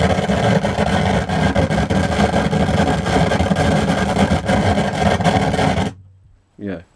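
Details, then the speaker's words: Pioneer SA-8800 Mk2 amplifier after recapping and protection circuit repair: harsh irregular crackling and popping through the speakers; suspected faulty transistors in one power amplifier, not confirmed. "crackling really bad. So we have problems, Houston, as it said"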